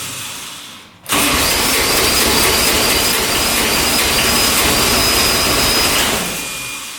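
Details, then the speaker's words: 2007 Kubota RTV900 diesel UTV, blowing white smoke, after rocker reinstall and valve adjustment: steady cranking roar for five seconds, no firing; fuel reaches injectors yet won't start, blown head gasket suspected. "We're getting fuel to the injectors here. a good stream going to the injectors here and still nothing. It sounds like it wants to fire. It just won't do it."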